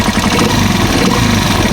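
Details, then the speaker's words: Small single-cylinder engine on a tricycle (Rusi Chariot 175), heard idling and revving: busy metallic valve clatter from loose valve clearance, louder when revved; engine noisy and due for a tune-up. "Rinig na rinig yung lagik ng mga bulve. Ayan kung mapansin niyo. Yan po yung tunog."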